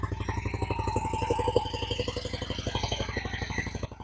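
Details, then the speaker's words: 2000 Honda Shadow ACE 750 V-twin after flushing old gas and refilling carbs with fresh fuel: steady four-pulse-a-second idle that picked up by itself, no misses, smooth throttle pickup. "Sounds way better than it did. Oh, perfect. Look at this. Here we go. Real smooth throttle on. And it picks up."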